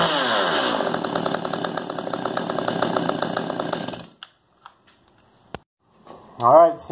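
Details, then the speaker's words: Stihl MS192 TC top-handle chainsaw after metering diaphragm fix (previously bogged and wouldn't idle, bogged when tilted sideways): revs up crisply and drops back to a steady idle without bogging; runs properly, normal idle and revving. "Seems to be fixed to me. Runs good. Idle's good."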